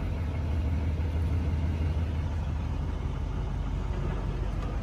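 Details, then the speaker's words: Diesel truck at a Copart salvage yard just after a glow-plug start: a deep, even idle rumble with no knocks, ticks or misfires. Good oil pressure; a healthy diesel idle. "waiting for the glow plug light to drop and fires right up do we have well pressure yep good wall pressure"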